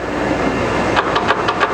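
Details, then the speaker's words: 1993 Chevalier FSG-1640AD 16"×40" surface grinder with programmable automatic incremental downfeed. A steady hum is followed by quick sharp ticks as the downfeed counts its 4 set increments at the 1/10 setting, which is normal operation. "So right now that noise you hear is it's counting 4 times, because that's the number I have in the number of down feed increments."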